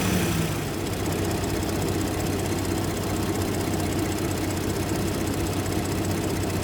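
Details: Ford F150 first-gen EcoBoost after replacing failed turbo coolant line fittings and refilling coolant, first start to check for leaks: steady low idle rumble with even firing, no misses or rattles.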